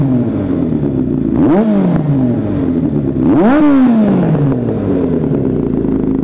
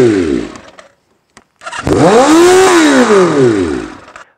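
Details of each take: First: 1983 Kawasaki GPZ550 garage find after carburetor tuning, airbox and reassembly with Kerker exhaust: four crisp throttle blips rising cleanly and returning to steady idle, throaty exhaust — normal running. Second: 1983 Kawasaki GPZ550 four-cylinder garage find with pod filters revs on its own to about 6,000 rpm at idle, screaming up and dropping back. Owner suspects the pod filters or improper jetting by a previous owner; not confirmed.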